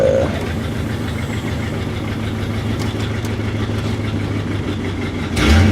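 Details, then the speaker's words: 1964 Ford Thunderbird 390 V8 idling: low lumpy chugging with uneven beat and steady rumble underneath; smells rich, running rich. "so I'll announce on and Trick Trick Trick chugging smells rich"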